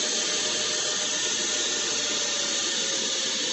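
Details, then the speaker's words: Genetry solar inverter around 3000–3200 W with quieter fan settings, fan throttle control at 54: steady airy rush with faint even tone, no rattle or bearing whine; cooling fan running normally at part speed, lukewarm air. "it is much much quieter though it's still doesn't blow super hot air or anything like that it's like lukewarm air and the fans are much much quieter"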